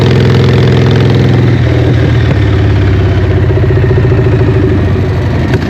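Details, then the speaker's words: Harley Evo V-twin chopper, first start after an eight-month rebuild, choke on: fires up and settles into a loping, lumpy idle with a steady low thump, healthy and even. Normal start and idle, praised as loud but good. "How good does that sound? What do you reckon, John? What? Fucking loud. I am wrapped. Fuck. Whoo-wee. Sounds good, looks good."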